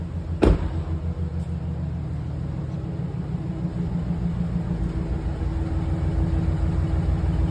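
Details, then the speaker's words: 2011 GMC Sierra 1500 after swapping in a junkyard engine to replace a seized one, some sensors unhooked, check engine light flashing; low even idle, no knocks or ticks, good oil pressure; possible slight misfire suspected. "Yeah, gauge is down there. It's running good. Sounds like we got good oil pressure."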